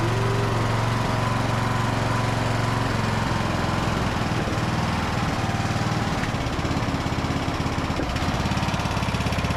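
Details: Briggs and Stratton–powered Craftsman DLT3000 riding mower that would not start, now started after flushing and drying the fuel tank and adding fresh fuel: steady single-cylinder putter, even beat, no stumbles or misses, running and idling cleanly.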